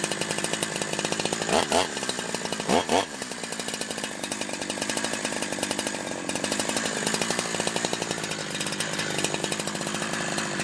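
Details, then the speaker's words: Holzfforma G372 XP chainsaw, warm, after crank seal replacement for a tune it wouldn't hold: steady high buzzing two-stroke note with quick blips that settle cleanly. Most of the air leak is fixed; the carb screw settings are still to be checked. "uh okay I think that fixed the majority of the leak issues"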